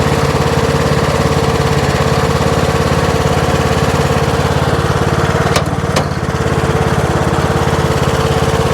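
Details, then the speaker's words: Troy-Bilt Pony riding mower, single-cylinder engine, after electrical and steering repairs: engine holds a steady, even drone with no misses, knocks or surging before a test drive; all 7 speeds work. Runs healthy. "So I'll go ahead and crank it up. Take it for a little spin, and then I'll put you guys on the ground and we'll make a few little laps with it, test out the deck."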